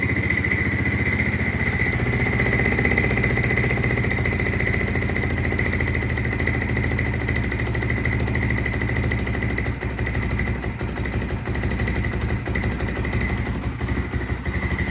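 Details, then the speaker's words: 1996 Honda FourTrax 300EX ATV after swapping the Chinese carb back to the rebuilt original: the single settles into a steady, even idle thump with no hunting or misfire, sounding much better; the Chinese carb was the issue. "sounds a lot better. So, it's idling now. So, we know that Chinese carb was the issue."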